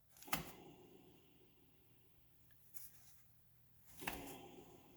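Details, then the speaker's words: Honda Civic/Integra known-good rear hub, brake pads removed, disc spun by hand: almost silent, smooth, no grinding or rumble, just soft knocks from pushes; quieter and smoother than the noisy passenger-side hub. "it's much more quiet and it's much more smooth"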